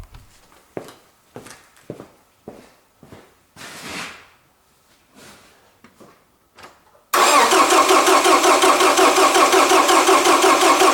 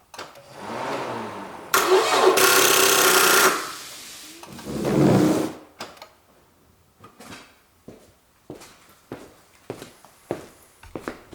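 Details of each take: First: Toyota Camry with a better battery connected: quiet clicks then fast, even starter crank around three turns a second, strong and steady, but the engine never catches because the gasoline tank is empty. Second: Toyota Camry failing to start: short groan of cranking dies off as drive belt stops, then scattered light clicks and electric buzzes; suspected weak battery or corroded battery or starter cables.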